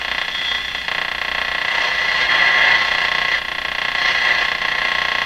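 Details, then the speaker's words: 1971 Sony TR-712 Handy Personal all-transistor AM radio on about 4.5 V, playing in the shop; harsh hissing crackle with no clean voice or music, badly distorted output, and the speaker is considered a possible but unlikely cause. "now the distorted sound we were hearing from this radio it's possible it's the speaker itself it's not very likely but it's possible"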